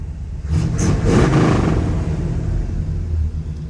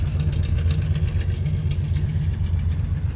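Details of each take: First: 1967 Chevrolet Caprice V8, sat 17 years, first run: brief throttle blip, then steady, deep rumbling idle, running very rich; needs a tune-up, timing set and carburetor rebuild; normal running. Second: 1967 Chevy Caprice that sat 17 years: a deep, uneven, loping idle that needs a tune-up; the owner suspects the timing is way off as it's grumpy to start; a slight front tick possibly from the water pump.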